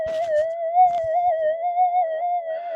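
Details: Minelab GP/GPX detector in mono mode with a multi-winding coil, transmit and receive windings into two channels with one out of phase to cancel noise: steady high threshold tone that wavers constantly; owner suspects interference from a computer, unconfirmed.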